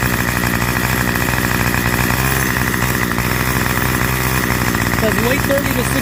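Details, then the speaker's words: Curb-found 25cc Craftsman two-stroke string trimmer after refitting the fuel return line: small two-stroke buzzes steadily with an even, unbroken note and no misses or surging; runs normally. "adjust the high idle, but I think it's going to run perfectly fine the way it is, to be honest with you, especially in the spring."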